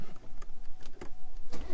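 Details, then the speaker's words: BMW M140i cold start: engine cranks and catches with irregular tinny metallic rattles from the rear exhaust flap actuator, worse when cold and much less once warmed up. "There you go. If you can hear that, it's like a metal tinny noise. It kind of gets worse on a cold start. Once the car's warmed up, it's actually not that bad though."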